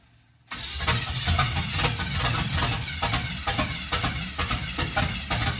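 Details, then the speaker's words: 1951 GMC cab-over truck first start, no fuel to the carburetor yet, running only on sprayed starting fluid: catches and coughs unevenly, about two firing pulses a second, barely running; timing is off, might need more timing. "Just run her off the spray foam. Might need a little more timing."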